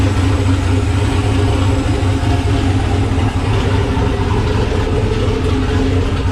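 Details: Nissan Patrol Y60/GQ SWB with a turbo LQ9 6.0 iron-block V8 (Camtech turbo cam, Holley Terminator X), dead cold after sitting two days, exhaust not yet complete. Loud, steady, choppy cam idle with no knocks or rattles, healthy.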